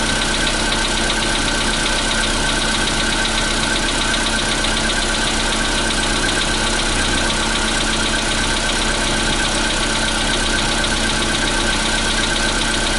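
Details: 2015 Volkswagen Polo Sedan, CFNA engine, cold start at 0 °C air temperature: a cold idle with a steady, fairly quick tapping knock over the engine note; cold-start knock, cause not pinned down.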